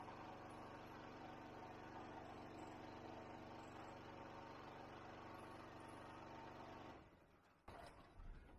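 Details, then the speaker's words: Ryobi 2500W generator, stored about 12 months, loaded with a 400W pump, 400W lamp and 2200–2300W vacuum. It drones with an uneven, pulsing, bogging beat, straining at its limit, then cuts out. "we got the two 680 and as you can hear it was really really struggling pretty much right on the money for what it says"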